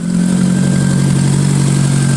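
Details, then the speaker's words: Ford Escort after engine mount, timing and water pump work and fresh coolant, run to see if an earlier noise went away: steady, even low hum at idle with no knocks or ticks, now sounds much better. "Sounds much better to me."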